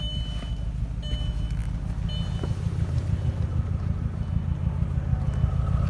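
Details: Audi RS6: deep uneven idle with a lumpy, stumbling beat around three per second and no smooth rhythm; rough idle, cause not yet found.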